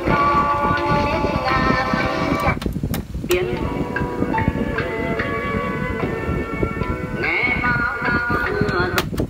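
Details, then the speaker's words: Sony CFS-1177S radio cassette player with low-volume fault, before repair: tape music plays rushed and thin with muffled treble and low volume; tape running fast and sounding dull. "này là nhỏ tiếng và tiếng đang chạy nhanh và đang bị tối của phần băng tối của phần băng nhá"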